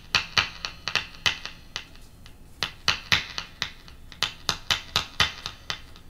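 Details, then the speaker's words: Music Man guitar piezo saddle tap test, mono plug, tapping saddles with a screwdriver: sharp bright taps through the amplified pickup from every saddle, clear and similar in strength; saddles working normally. "seems like the saddle's fine i can hear it fine"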